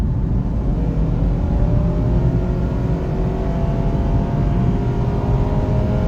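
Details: 2009 Honda CR-V, 208,391 miles, which went into limp mode at high rpm (VTEC solenoid blamed), road test after oil change: strong engine roar rising smoothly through a pull under load with no cut-out; healthy acceleration.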